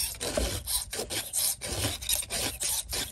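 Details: Chainsaw raker (depth gauge) filing with the file turned at an angle rather than straight across: steady rasping strokes, about two a second, smooth and even with no squeak.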